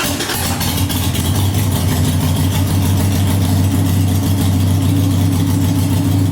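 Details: 2001 Harley-Davidson Sportster 883 Evo V-twin, CV carburetor just adjusted, cold start on choke with a couple throttle squirts: steady, even low thumping idle with no stumbles or misses. Settles cleanly; carb setting judged right.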